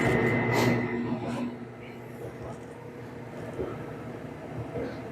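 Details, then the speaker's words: LG dryer after cleanout and heater/thermostat diagnosis, running manual speed dry on high heat: steady low rumble with an even soft tumbling rhythm, no scraping or squeal; drum turning smoothly and heating well, normal. "All right, so that's it. Everything's running good. It's heating well. Tub's turning like it should."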